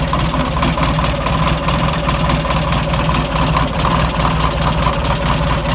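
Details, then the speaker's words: Air-cooled VW Beetle, engine about 1.5 years and 8,000 miles old, warming up from cold: uneven idle with dull knock about twice a second; owner first fears a rod, later traced to fan or alternator. "Hate to say it, but that noise sounds like a rod, which it's really suck on this year-and-a-half-old engine with about 8,000 miles on it."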